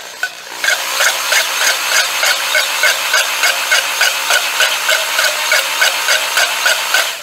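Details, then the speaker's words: Honing a freshly bored Chevy 327 block with a corded drill, going slow: drill whir with a sharp tap about three times a second as the hone stones bump the bottom webbing, so they reach the cylinder bottom. "Um, let me make sure. Yeah, we're getting all the way to the bottom with the home stones."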